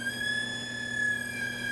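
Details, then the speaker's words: Aiwa TPR-910 stereo cassette boombox under repair: thin high electronic whine with faint overtones that warbles and never settles. There is steady hum, no normal audio output, and the motor runs but the spindles don't turn. Cause unknown. "that's not good sounding but all right so still don't have any sound whatsoever in this machine"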